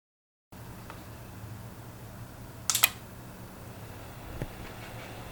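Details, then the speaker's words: FlashForge Creator Pro 3D printer at idle after replacing the loud stock 40mm fan with a Noctua NF-A4x10 FLX via a 24V-to-12V buck converter; soft, steady low hum with handling clicks, the quiet cooling fan. "So hopefully you can hear the difference between the original fan and the aftermarket fan. And while it may not seem like much, it does make for a big improvement sitting in such a small room, especially with the printer so close to me."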